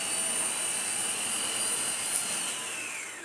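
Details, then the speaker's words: Vorwerk Kobold VK200 vacuum cleaner running without the brush roll to clear a clog. A steady high-pitched motor whine with airflow hiss, then the pitch sags as it spins down. The motor is healthy and suction is flowing. "Let's turn it on without the brush roll. The problem now, it's going to go into, you know, it will detect when it's not working right. Okay. It's spinning."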